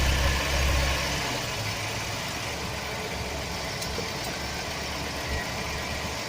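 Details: 2007 Chevy Express 1500 4.3 V6 at idle: dull, uneven rattle from the bellhousing area; bad starter motor gear bumping against the flexplate.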